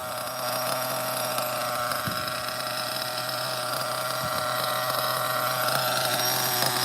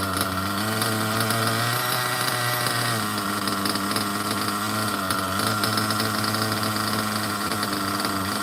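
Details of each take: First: OFNA Ultra MBX buggy, Hyper 21 nitro engine with 2-speed, just started after priming, checking idle: high steady buzzing whine with blubbery edge, running very rich but spinning well. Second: OFNA Ultra MBX nitro buggy with 2-speed and Hyper 21 Turbo engine; tiny nitro buzzes high and steady after a brief blip, idling evenly without surging or dying, perfect tune.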